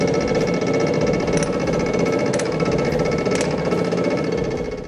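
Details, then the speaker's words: Restored 19th-century water-powered trip hammer at a sawmill, test run after wedge adjustment of striking rhythm, upper anvil offset right: even, rapid heavy blows about four a second, no rattle or wobble, steady and vibration-free; healthy. "Once the strikes become steady, deep, and vibration-free, the trial run concludes."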